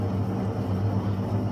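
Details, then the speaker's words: Sealed motorcycle wheel bearing (2000-2015 type) spun on a wheel balancer gives a low steady pulsing growl; bearing chewed up inside, whereas a good one is nearly silent. "you hear that growling noise in there, that's telling us that the bearings are all chewed up on the inside."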